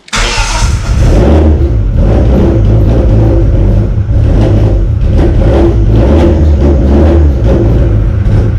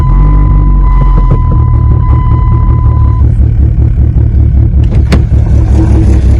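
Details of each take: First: 1995 Plymouth Neon ACR with a big cam, no oxygen sensor hooked up and a suspect valve cover gasket: fires up and revs, then idle hunts and sags and won't settle; rough idle, cause unconfirmed. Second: 1995 Plymouth Neon ACR with a big cam, running during restoration: deep, steady rumble with an even exhaust note and no knocks or misses. Healthy running.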